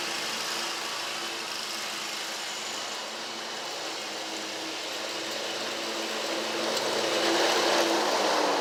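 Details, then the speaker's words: Scag Tiger Cat II zero-turn, Kawasaki FX691V twin, after repairing bent push rods, broken cylinder-2 rocker holder, stuck choke, clogged fuel filter, driving: steady even engine note rising slightly near end, no popping or lopsided beat; normal running. "So I'm going to press down on the seat and get it crunk. Or now I'll just sit on it. Y'all can hear it crank. So she's 100% better."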